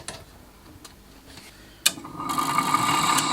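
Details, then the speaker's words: HP 8901B modulation analyzer with a power supply fault: the very dirty cooling fan spins up to a steady thin whine with a gritty hiss; the fan bearings are shot and need replacing. "that fan defit need replacing those bearings are shot that is the worst one I've ever seen"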